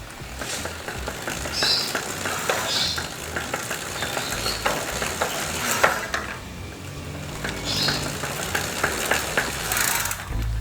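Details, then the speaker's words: Bicycle freewheel after roughly half to one year of use: spins normally unloaded, but with pedal pressure gives sharp rapid uneven "tek tek" ticks with felt vibration; freewheel body has excess play and wobble. "noise noise ada suara tek tek tek tek gitu ya teman-teman seperti itu kurang lebih"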